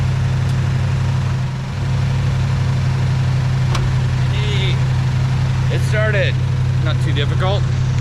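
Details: 1973 Camaro RS with a 307 V8 (not a 350), started after sitting a while, gives a deep, even burble holding steady at idle with no misses or knocks; all eight cylinders firing smoothly, healthy idle.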